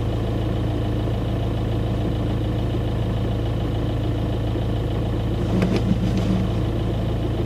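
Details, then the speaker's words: 2009 Audi A3 1.9 TDI with 167,000 miles idling in neutral, clutch released: coarse continuous low rattle from under the car, which stops with the clutch pressed; worn dual mass flywheel, replaced with clutch to fix. "so just to summarize in case you couldn't hear it that well it's a hideous rattling noise you notice it most when you're sitting with the engine ticking over in neutral foot off the clutch at traffic lights"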